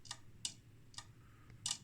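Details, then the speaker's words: 1968 IMPO dual power supply (25V 1A school lab unit) on first power-up after decades, drawing 14 watts; sharp dry clicks over near silence as a transformer-tap relay switches. Normal. "so here's a relay so there's a tap on the Transformer okay"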